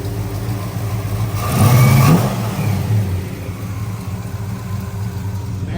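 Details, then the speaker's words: 1965 Ford Galaxie 500 with 390 FE V8 and manual transmission, after Cold Case radiator and electric fans install, around 185–190°F: steady idle then quick clean blip with no knocks or misses; normal revving. "Man, that motor sounds good."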